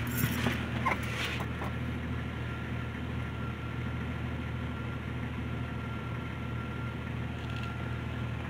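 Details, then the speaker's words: 1990-1999 Jeep Cherokee after ignition coil replacement (old coil had cracks): low, steady, even idle without stumbles, running much better than before. "runs actually a lot better than it did which would explain why because there's cracks in the old ignition coil"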